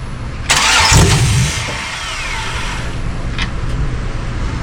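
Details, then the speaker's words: '94 OBS truck with an LS swap on a new harness: about a second of starter cranking that never fires, then only a steady background hum. The fuel pump is running; the owner suspects the VATS anti-theft system because the body module that controls it is unplugged. "I think that's going to be the VATS vehicle ant any theft system that's not letting it start."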